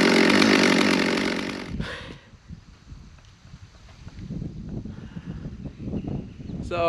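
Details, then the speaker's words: Stihl MS200 rear-handle pro chainsaw after a tune-up; yesterday it stalled once warmed up, today it revs loudly then settles to a steady low idle without dying. Normal running. "of course today it's running perfect well I don't know about perfect but it's running without stalling"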